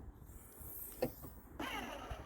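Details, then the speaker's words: Car boot latch actuator after repair (latch screwed back on; previously just bounced and wouldn't pull back): one short clean motor whirr as catch pulls back fully, no bouncing or chatter; normal boot latch actuator operation. "so if i pull it and it pulls it back so let's give it a test run there we go before it won't even do that you just bounce there"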